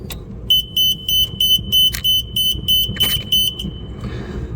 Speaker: 첫 번째 거 꽂은 다음에 대보면 아이씨, 이게 삐삐 소리가 재부팅 된다는 거니까이 소리가 나면 안 되는 거예요.